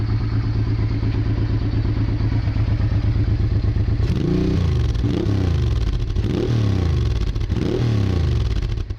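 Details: Honda Bros/Hawk GT 650 (late-80s V-twin), camera held near the exhaust: steady lumpy idle then several clean blips rising and falling smoothly, no misses; healthy exhaust note. No coolant leak found.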